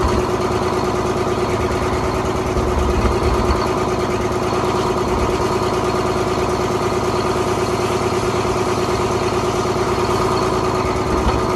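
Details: 1970s Crane Carrier 10-wheel-drive truck, Detroit 6-71 two-stroke diesel, after freeing four stuck injectors: steady, even drone with a busy, buzzy beat and no misses or knocks, running cleanly on all cylinders.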